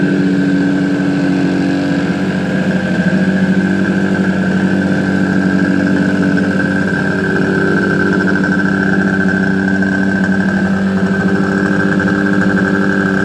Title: My suzuki gt250 is alive again!! First start after rebuild